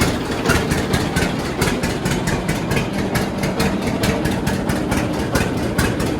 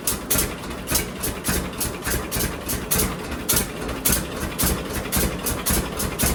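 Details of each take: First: John Deere D two-cylinder tractor idling on new Autolite plugs before re-gapping: slow, uneven pops with skipped, ragged beats. It is misfiring because the plug gaps are too tight (factory spec 0.030 in); D's never idle perfectly. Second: John Deere D two-cylinder tractor idling after both Autolite plugs were cleaned of black deposits and re-gapped wider, toward the 0.030 in factory spec: even, lopey beat of about two per second, no misses, no backfires. Normal idle.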